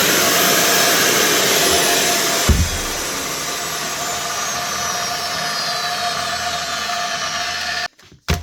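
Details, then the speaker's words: Makita GA9040S 2400W angle grinder with Laserchaser wall-chasing head, after new head bearing fitted: steady high motor whine, even and smooth with no rumble or grinding as it spins down; normal running. "That's her, all ready for work again. The Makita GA9040S with a new bearing."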